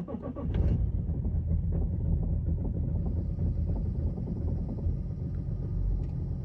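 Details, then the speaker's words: BMW E90 325d diesel, cold morning start: cranks, catches and settles into a lumpy, uneven clatter with white/blue smoke, running fine after about five seconds; happens only on the first start of the day. Rough cold-start idle, glow plugs suspected and being replaced. "as you saw the car was like not idling well um when I first started up and it only does it in the morning like if I started the car like in two hours it's not gonna do it anymore and now after five seconds the car is running fine and there was no issues with it"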